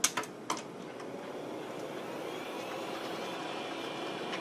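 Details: Old Packard Bell PC hard drive, long unused: a couple of sharp ticks as the heads park, then a steady soft spin hum; normal head parking.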